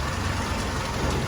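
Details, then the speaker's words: Willys CJ2A flathead (about 55 hp) after restoration, new fuel pump, idle mixture screw two turns out: low steady idle, even thump, slight diesel-like clatter; running smooth and healthy. "she sounds nice she sounds like a jeep should got that kind of a diesel sound to her just a little bit you know"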